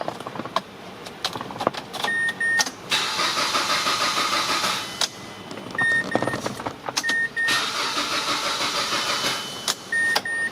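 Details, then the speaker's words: Mazda CX-7 crank but no start: two cranking attempts whir about two seconds each, engine never catches, dash chimes between; fuel pump heard buzzing; cause faulty fuel injector relay, fixed by replacing it. "car is not starting guys, but I can hear the fuel pump running."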